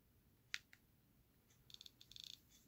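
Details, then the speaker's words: iPod Classic after repair of non-working buttons: a few soft crisp clicker ticks in quick bursts as the scroll wheel is turned, a healthy working click wheel. "scroll wheel's working. I don't have any music on here just yet, but I can hear it clicking when I actually click the buttons."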